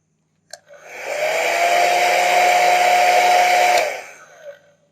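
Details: Blow dryer final test run after a repair for a strange internal noise: motor spins up to a smooth, steady whine and airflow rush, then winds down evenly; no rattle or scraping, and the noise is gone.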